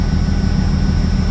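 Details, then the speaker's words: 1996 Jeep Cherokee with a hole in the catalytic converter and spark plug 2 unplugged: the AC compressor kicks on, adding an even low hum to the steady engine drone with no rattle or squeal, and the vents blow cold; normal AC compressor running. "What about the air conditioning? Ooh, you hear that compressor kick on, huh?"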